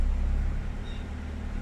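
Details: 2005 Honda Jazz/City i-DSI after the repair: steady, smooth idle in gear with A/C cycling, no shaking or jerking. Before, the engine shook and dragged in R and D with the A/C on.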